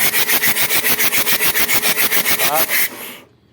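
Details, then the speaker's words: Mitsubishi Adventure diesel, hard start after pump cleaning and new glow plug: starter cranks in even pulses about three and a half per second, never catches; air leak at fuel pump. "Ayaw pa rin sumunog. Heart start pa rin. Umaandar minsan. Ayaw pa rin."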